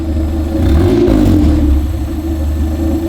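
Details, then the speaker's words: Honda CRX with a B18 engine swap at first start: a slow, lumpy rumble idling at about 500 rpm, well below normal. It then jumped to 2,000 rpm, and a throttle issue is suspected. "it's idling at like 500"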